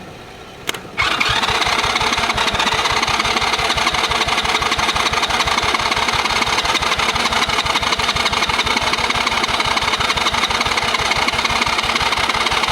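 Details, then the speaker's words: Cheap Chinese kids quad that sat for years, plug tightened, choke on, very old fuel: steady cranking about three beats a second with faint catches that never pick up; fires briefly but won't start, stale fuel suspected. "A little bit of something there. You can tell that fuel was like 5,000 years old. We get somewhere when we put the choke on."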